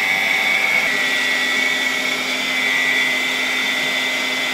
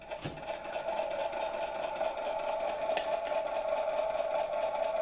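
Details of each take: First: Steady high whine from a restored 1964 Polish Gamma II vacuum cleaner (type A-6b) with a KASB-70/30 motor: a faint rough edge from slightly worn motor bearings; it works quite well for its age. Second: 1964 Gamma II vacuum cleaner (type A-6b), KASB-70/30 motor, briefly powered from a charger after fixing corroded plug: steady even mid-pitched hum, no knocks or scraping; motor spinning up slowly and smoothly, running normally.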